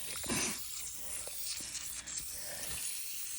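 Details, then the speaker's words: Above-ground house water supply line by a brook, fed from a spring, good pressure: steady, soft high hiss with no rhythm from pressurised water escaping at a connection, possibly broken. "I can hear another leak right here so this is obviously above ground sure you guys can hear it oh yeah right there coming out of this"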